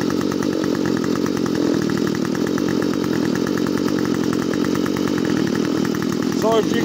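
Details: Stihl FS45 trimmer that wouldn't start, fixed after blowing out with propane torch and removing part with 5/8 socket: high buzzy two-stroke note holding steady at speed without sputtering; running properly.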